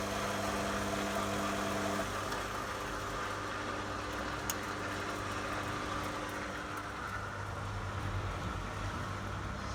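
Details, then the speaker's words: Beko washing machine after control board solder repair, on a spin and drain test with no water: steady drain pump hum with a light whir and no grinding, operating normally. "That's the pump working. There's no water in it. This is just a quick test."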